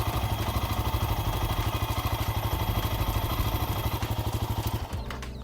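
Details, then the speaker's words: Royal Enfield Himalayan 450, three months old, at idle just after starting: regular buzzing pulse about three times a second over the engine, then it stops; owner first mistook it for a meter alarm, none found; cause not identified. "एक और चीज़ मुझे feel हुई कि इस bike में ना एक अजीब सी, मतलब वियर्ड सी आवाज़ आती है जब आप बाइक जो है स्टार्ट करते हो।"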